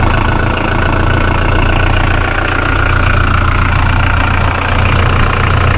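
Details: Mitsubishi L200 K74 diesel warming up for five minutes after a boost leak repair with instant gasket replacing the throttle body gaskets: steady, even diesel clatter with a smooth low rumble, no misses or surges. Healthy idle.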